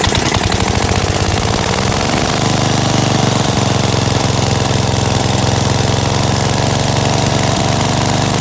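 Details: Gravely 816S with a 16HP Briggs single and a replacement Chinese carburetor, rigged-up ignition, first run after about a month: steady, even idle with a smooth low thump, no misses or surging; normal idle.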